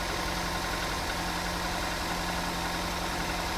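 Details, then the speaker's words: Toyota Avanza petrol engine, previously rebuilt, timing chain range code, idling unevenly with stumbling and a loose "bluk bluk" puffing from a leaking exhaust under the steady hum. "suaranya ada atakaknya ada brebet-brebetnya karena knalpotnya itu juga bocor jadi ada bluk bluk"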